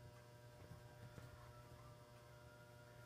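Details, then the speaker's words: GE 400 watt high pressure sodium lamp fixture warming up: steady low coarse mains buzz from an old, rusty ballast that is noisy but still works. "as you can hear the ballast is quite loud oh quite noisy not so loud but uh the B is quite a bit Rusty and stuff um and it's getting a little I think it's getting a little old"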